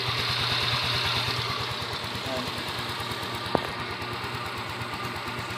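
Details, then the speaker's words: Yamaha Mio Soul i 125 scooter, about 4 years old, after the engine was torn down and rebuilt for a cold-start knock: even, steady idle with no knock or clatter; the noise is gone. "ngayon ginabi kami bale wala na yung tunog niya tahimik na siya Okay na"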